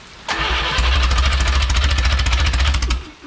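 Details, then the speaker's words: Original Renault 4CV engine (circa 1949, welded cracked block) reassembled after ~70 years in parts, distributor timing being adjusted: catches and runs a few seconds with uneven, stumbling pulses before dying; rough, inconsistent firing but improving. "time promising sounds a little better dude doesn't it yep a little more"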